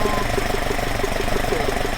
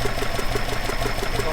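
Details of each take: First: Alfa Romeo 105 GTV with twin 40 mm Dellorto DHLA carburettors at baseline idle before balancing: steady, even idle pulse with a smooth low drone and no misfires, hunting or knocks; synchrometer reads left 3.5–4 kg/h, right 4 kg/h, fairly balanced. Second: Alfa Romeo 105 GTV with twin 40 mm Dellorto DHLA carbs unbalanced, idle raised slightly: uneven, lumpy idle with a wobbling beat, running rough and vibrating; synchrometer reads 4 vs 2.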